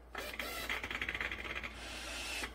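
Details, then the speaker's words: 2013 Chevrolet Silverado 1500 4x4 on a lift, shifted into four-high: short electric whir with quick ratcheting clicks for about two seconds as the transfer case motor shifts normally; front wheels not driven because the right intermediate axle shaft pulled out. "so you can hear the transfer case shift the front drive shaft is locked up now"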